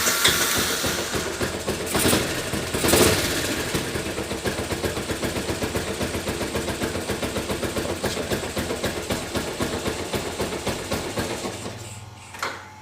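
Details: Motorcycle after replacing worn electric starter motor brushes (previously only clicked without turning) and refitting the carburetor: starter spins briefly, engine catches and settles into an even putter of about four beats a second, no misfires; normal start and idle.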